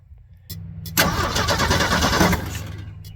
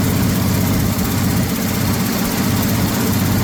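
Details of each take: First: 1979 Ford F150 shortbed 4x4, 300 straight six, sat 4 years, after squeezing a broken part for contact: strong, even cranking about three turns a second, spinning freely but not firing; fuel not yet added, later gravity-fed from a tank on the roof. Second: 1979 Ford F150 shortbed 4x4, 300 straight six with new carburetor, started after sitting 4 years: rough low idle with a steady puffing tick about four per second; owner says it clearly has an exhaust leak somewhere.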